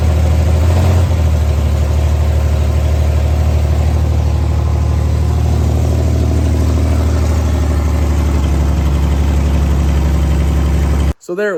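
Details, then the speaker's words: 1964 Chevrolet Corvair, first run on gasoline after starter fluid, exhaust missing: smooth, even idle with no knock but slightly fast; high idle, idle speed set a little high, slight adjustment tried. "the idol was set a little high we tried to adjust it just a little bit"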